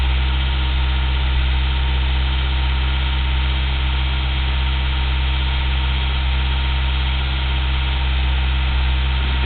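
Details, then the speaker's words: 1987 Toyota 4Runner 22RE petrol, original ECU reinstalled: steady idle with a faint uneven pulse; smog tech saw RPM vary no more than 5 at 1700, though owner suspects a misfire heard in the exhaust. "you're going to see a bounce in RPM of you know 50 somewhere around there may you know but yours is no more than five RPM out of 1700"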